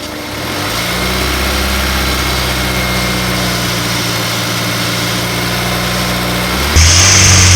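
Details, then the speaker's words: Honda S2000, F22C, over 130K miles, after timing chain service, running to flush the cooling system: steady, smooth, even engine note with no ticking or rattle, then small rev rise; quiet, like when bought, water pump not leaking. "yeah it sounds real like engine it's quiet i don't think i've i think that's how it sound like when a [ __ ] car when i bought it honestly"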